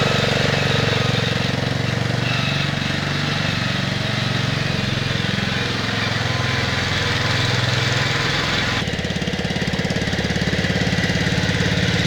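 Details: 1969 Bolens 850 tractor, Wisconsin S8D 8.25HP single-cylinder, run after carburetor initial adjustment while tuning points: hard pounding about three knocks a second, sharpening as revs climb; knocks badly at high RPM, idles poorly, smokes; cause not found.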